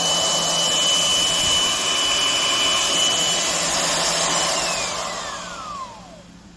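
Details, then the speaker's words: Skil RT1322-00 1/2" digital router, 1680 W 14 A 120 V, after replacing loose silicone tension washer with a proper bearing wave washer, 1/4 inch flush bit, speed ramped up: steady high whine, clean coast-down, no rattle; much smoother than before. "it sounds way smoother than it used to."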